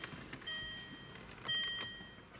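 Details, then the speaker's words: Land Rover Freelander 2 RF module behind the rear interior light panel, TDB023 tester plugged into the harness, key inserted: clear high beeps about once a second with LED flash; module and wiring work, battery voltage slightly low. "You can see that inserting the key will operate the system, and you can hear a audible beep and the LED will flash."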